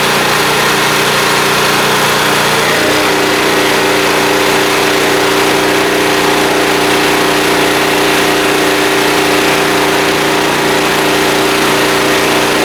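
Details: Small blue Walmart generator, about 15 years old, 110-120 V, started on choke after fuel system work, lighting a lamp; steady, even drone with a constant hum holding a fixed pitch, no surging or misfire, running smoothly.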